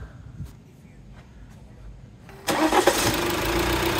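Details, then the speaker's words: Modern Alfa Romeo diesel engine at 72,000 miles: catches at once and settles into an even, steady idle with no hunting; normal diesel start and idle. "the diesel engine still sounds absolutely sweet a nice steady idle with no hunting issues or anything like that"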